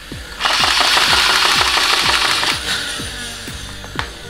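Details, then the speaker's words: Nerf Rapidstrike after replacing a broken axial inductor and insulating the mag lock switch: flywheel motors whine high and steady while the pusher clacks about three times a second, even and clean; feed mechanism working after repair. "okay so you can hear the motors are working and if I pull the trigger then you'll see the pusher working as well"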